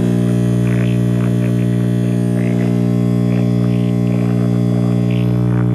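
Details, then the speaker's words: 1965/66 GE C1530 hybrid tube clock radio after a replacement 35W4 tube, tubes lit: loud steady low hum over faint station reception. A bad filter capacitor is suspected. "Okay, we have tube illumination now. Sounds like we have a bad filter capacitor."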